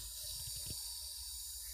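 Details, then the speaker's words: Regulator just fitted to a new sealed LPG cylinder: steady, high-pitched hiss of gas leaking at the connection. "like this, it means that there is a leak in the connection, OK?"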